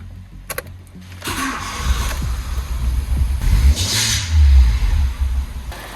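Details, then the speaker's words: 2013 Hyundai i10 1.2 with replacement engine, first start after refit using brake cleaner in the intake and jump starter: catches after a few cranks into a rough idle with faint intermittent squeak, likely a slipping belt; squeal on start. "Little bit squeaky, but she runs."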